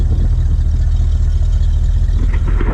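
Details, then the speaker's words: Mostly original 1969 GMC C10 shortbox stepside, started after sitting, engine still cold, oil pressure good; deep, even V8 rumble with steady firing and no knocks or ticks, revving cleanly, doesn't sound too bad. "So I'll set the tripod up, give it a start, let you hear what it sounds like. Make sure you're straight. Doesn't sound too bad."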